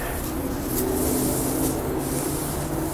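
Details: Tire being reamed with a plug kit to enlarge a puncture; steady high hiss of escaping air under handling noise as air leaks through the enlarged hole; tire puncture air leak.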